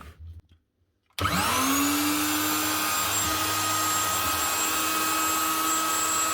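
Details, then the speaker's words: 2012 Virutex FC116 self-feeding door morticer running after bearing replacement: motor spins up with rising whine to a clean steady high hum, no vibration, rumble or rattle; much smoother. "No vibration, and she sounds a lot smoother. That's her."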